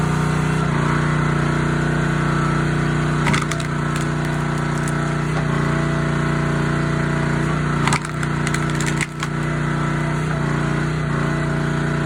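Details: Honda GX160 SplitFire wood splitter after carb clean and oil change for bogging and stalling; steady low drone holds speed while wood cracks and splits, only brief dips, no surging or bogging, normal under load.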